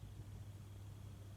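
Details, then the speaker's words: Fantasia Phoenix 42-inch antique brass ceiling fan, about 10 years old in a bedroom, after its remote receiver unit was replaced, running at medium speed: soft, even low hum and gentle air rush, no motor noise, clicks or rubbing; normal. "You can hear the air movement, but there's certainly no sound coming from the motor. So that's medium speed, that looks perfectly fine."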